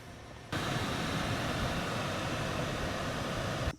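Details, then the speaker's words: 2005 Lexus GX470, 276,513 miles, after replacing the noisy blower motor: smooth, even whoosh of air starting and stopping cleanly, no rattle, ticking or squeal, airflow stronger than in months; normal blower operation. "That thing is quiet. The air is blowing stronger than it has in months, and it is running nice and quiet."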